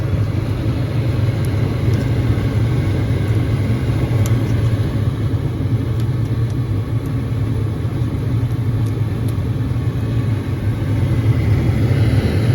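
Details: Carrier furnace, flame sensor reading 3.5-7 microamps: the burners hold a steady low roar the whole time with no dropouts or relight clicks. It runs normally.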